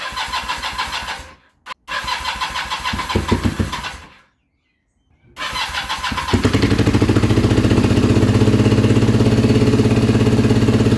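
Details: Kawasaki KZ440 project bike, charged battery and new spark plugs: cranks, catches and dies twice, then runs on choke with fast, uneven beat, never settling to steady idle; fuelling suspected.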